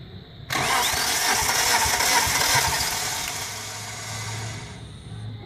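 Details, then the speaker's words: 1997 Toyota Corolla, cylinder 2 compression test while cranking after a flushing oil concentrate treatment (145 psi before): steady starter beat about three per second, no uneven stroke; compression slightly higher and more even across cylinders. "compression is a little higher in each cylinder pretty well done before mowing the same but the thing is they're more even this time"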